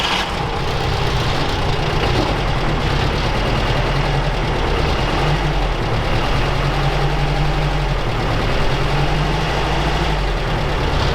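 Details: UAZ 469 four-cylinder with carburettor, primed after sitting about a month, before ignition overhaul: lumpy uneven idle with heavy loping beat; only two cylinders firing.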